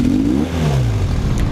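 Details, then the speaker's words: 1978 Honda CB400T II with fabric-wrapped pod filters, side covers and seat refitted: quick throttle blip climbs with only a brief stutter instead of the earlier deep bog, then picks up cleanly; improvement noted, though it still bogs somewhat. "hear how it only kind of stuttered, whereas before it would just be like, blah. Now it's just like, oh, whoa, let's go. So that's better."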